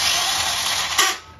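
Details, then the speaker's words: 50cc Kazuma Meerkat quad, starter jumped straight from a new battery. A harsh high whirring grind lasts about a second, then dies off with no cranking rhythm. Owner suspects a bad starter spinning without turning the engine and plans to check the starter chain under the stator. "that does not sound good at all I'm going to pull off the stator and see if the starter chain is still on there I'm almost think the way it sounds like it sounds like this is spinning and nothing else spinning which makes me nervous"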